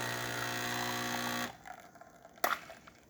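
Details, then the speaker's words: Breville espresso machine after a full service and tune-up and a reset to factory settings, pulling a final test shot: a steady buzzing pump hum for about a second and a half, then a click cut-off. Normal pump operation, with good crema and extraction. "Great shot of espresso, single shot, 1 ounce, good crema, good extraction on the double shot and the single shot, as you can see right there."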